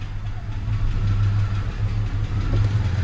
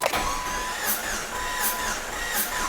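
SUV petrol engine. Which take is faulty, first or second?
first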